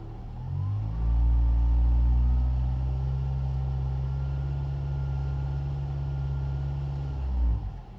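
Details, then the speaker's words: 2006 Ford Fiesta ST 2.0-litre petrol, exhaust awaiting welding: revs fall quickly after a blip, then a deep, steady, even burble settles at idle with no knocks or rattles; normal idle. "revs come down at a nice speed"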